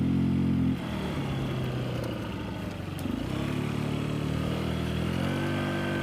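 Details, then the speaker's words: Motorcycle with the air filter removed, at wide open throttle: engine chugs and bogs, falling on its face and stuck near 15 mph even downhill instead of pulling cleanly; clean filter is refitted afterwards. "I got a wide open and she's trying trying to go but he can't she's chugging along here look at that 15 miles an hour and that was downhill"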